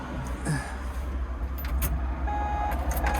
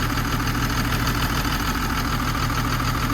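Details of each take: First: Old 140 digger diesel running; blocking the exhaust outlet with a rag makes a puffing, blowing note louder, showing an exhaust leak upstream at a hard-to-reach joint, to be fixed with a new gasket and 90° elbow. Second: Old 140 Mark 1 LC excavator diesel, probably unserviced about three years, running again after a fuel fault (not high pressure) was fixed; cold engine idling steadily with a slight miss, likely just from the cold, normal idle.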